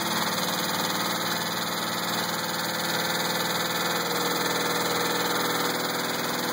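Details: 2000 Pontiac Grand Prix GTP at idle: steady regular knock about four per second that stays constant as revs ease; not like a rod knock, owner doubts flexplate and suspects a spring, unconfirmed.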